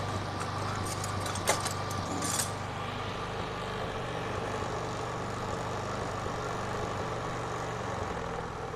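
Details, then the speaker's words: Carbureted Honda Beat scooter with DC ignition fitted with a Kawasaki CDI: brief key rattle and start, then a smooth, even low idle with no misses or hunting, idle described as excellent. "Wah, stasionernya juga sangat ciamik. Oke, mantap."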